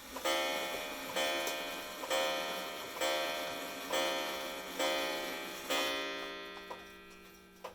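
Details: Japanese schoolhouse wall clock striking 7 o'clock: seven even, ringing gong strikes about a second apart, each decaying cleanly before the next; a healthy strike.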